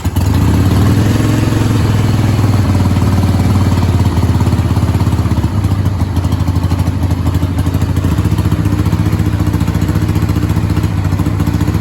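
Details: 1989 Harley-Davidson Sportster 883 after carb cleaning and float reset, original plugs: lumpy uneven idle at about two beats a second with beats dropping out; rear cylinder suspected firing intermittently, possibly carb or bad plug; won't idle, high end fine.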